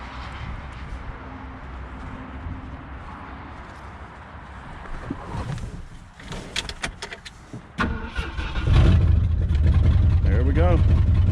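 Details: 1966 Ford Galaxie, 352 V8 four-barrel with Cruisomatic automatic, formerly seized, first start in 26 years on a weak cheap battery, possibly fuel-starved: slow, labouring cranking, then it catches and settles into a steady, even idle.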